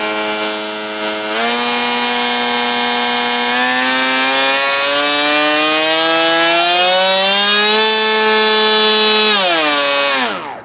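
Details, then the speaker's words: F-22 profile RC plane brushless motor on a 3S pack through a loose XT60: a clean whine climbs with throttle, holds, then winds down smoothly. It has a lot more power and runs healthy. "Cutting back off the power. Let's see what we got for voltages. Everything's sounding better. It's feeling better. Everything's still working."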